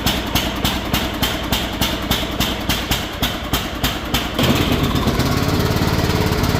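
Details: Cub Cadet riding mower after carburetor replacement and correctly reinstalled fuel filter (previously wouldn't start), start-up on choke before oil change: single-cylinder engine fires evenly at a steady beat after a brief change in pace, no misses or knocks; normal running.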